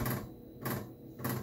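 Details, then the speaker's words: Commodore 128D under restoration, internal floppy drive reading disks. Three evenly spaced buzzing chatters about every 0.6 seconds with a low hum between them: odd seek noise of unknown cause, which the owner later doubts was the real problem. "so along the way I started noticing some odd noise coming from the floppy drive like this"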